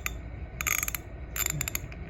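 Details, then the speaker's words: Pawnshop ratchet after wire-wheel cleaning and degreasing: short bursts of uneven, gritty clicks. It is not smooth, and the internal mechanism sounds rough. "you can hear that clicking it ain't it ain't smooth"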